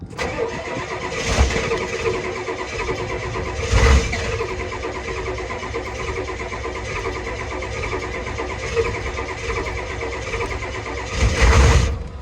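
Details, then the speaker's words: Old OBS diesel with fast fuel systems, not cranked in a while, chilly morning, glow plugs cycled, deliberately overfuelled: long cranking with uneven heavy chuffs and surges that never catch; needs compression to start, fuel pump sounds healthy. "This is just, I did this on purpose. I know how to make it start. It is super overly fueled, so we got to give it a little compression there."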